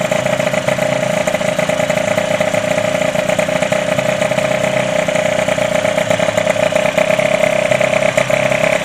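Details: Derbi DRD 03 two-stroke, bought in a lamentable state, first start after complete engine restoration: high, buzzy idle holding steady pitch and rhythm, no knocks or stumbles; normal idle, engine healthy.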